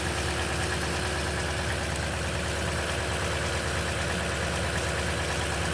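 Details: Loud cold-start idle on a 2010 Toyota Tundra with 165k miles and 5,500-mile oil changes all its life: a fast, uneven light rattle over the engine, suspected but unconfirmed timing chain noise.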